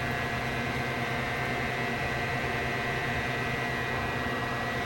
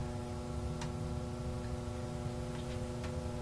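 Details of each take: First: Tektronix 547 oscilloscope cooling fan, blades cleaned and reinstalled: a steady, even rush of air over a smooth motor hum, with no ticking, rubbing or wobble. The fan is running normally. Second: Tektronix 547 oscilloscope cooling fan after oiling its bearings hums at a steady speed with scattered light ticks; it is up to speed but still not turning smoothly, though smoother than before.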